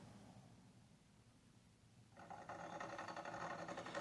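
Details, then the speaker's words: Xbox Series S console with back plate off, after being accidentally kicked: a quiet hiss, then a fast, even rumble and buzz as the fan spins up. The owner suspects the fan; rumbling noise. "All right. So, it's a rumble. I'm thinking it's the fan."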